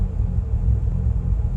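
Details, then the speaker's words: Bridgeported Mazda RX-8 at about 3,000 mi, roadside after flashing engine light: deep, lumpy low rumble at idle with uneven pulse, bouncing everywhere; rotor misfire, cause unknown (coils, plugs, injectors or apex seal suspected). "That doesn't sound good. >> No, it's really bouncing everywhere, isn't it?"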